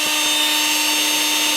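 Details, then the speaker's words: Makita XMU04 cordless grass shear after repair, free speed for about 10 minutes, motor about 28 °C, battery 23 °C, drawing about 0.4 A: steady high electric whir, no grinding, rattles or surging; normal run. "it's drawing about 0.4 amps from the battery I think we're gonna be friends"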